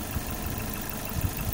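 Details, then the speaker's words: Lifan X60 engine after rebuild for a knocking noise, warmed up with the cooling fans running and the check-engine light on: low, even idle with no knocking or tapping, running smoothly. "все остальное работает все прекрасно шепчет"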